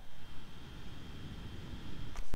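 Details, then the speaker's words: Steam Deck handheld console warming up, even in the main menu: the cooling fan kicks in almost immediately, giving a faint steady high whine over a quiet low hum with no rattle; normal fan noise, though found annoying. "autre point qui est aussi un peu énervant c'est le bruit la machine ça se voit qu'elle a un chèque plus puissants à l'inter parce qu'elles chauffent elle monte en température et le ventilateur s'enclenche quasiment directement"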